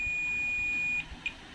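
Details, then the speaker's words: Toshiba 32P2400VJ 32-inch LED TV with a blank picture but working backlight. Multimeter continuity check gives a steady high beep for about a second: one of three capacitors is shorted, the other two are not. "kapasitor ini short tapi untuk dua ini tidak"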